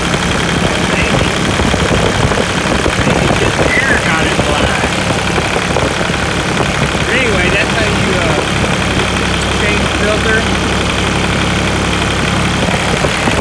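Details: New Holland TC33 diesel tractor that sputtered and died, after new fuel filter, fuel line and bleeding air at a screw: steady, even idle clatter with no stumbling; runs cleanly again.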